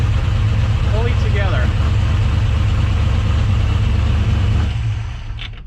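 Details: Engine with a newly installed Sniper 2 fuel injection unit, in neutral, idling after clearing a flooded start: steady, even low rumble with a regular beat, then fading out; a normal smooth idle.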